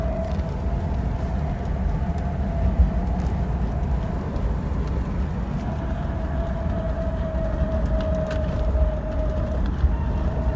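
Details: BMW 635CSi (E24) while driving: steady mid-pitched hum that changes with road speed, not rpm, seeming to come from the engine area, quieter under load and gone once hot; worn drive shaft center support bearing, fixed by replacement.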